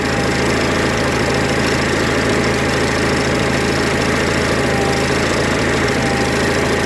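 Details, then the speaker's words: Onan 4kV generator at steady idle after carburetor mixture screw is turned richer: uneven pulsing beat and shaky note instead of a flat hum, rough running from an over-rich mixture; closing the screw too far makes it stall. "see the vibrations in the sound it's not a flat sound it's like it's still not too bad"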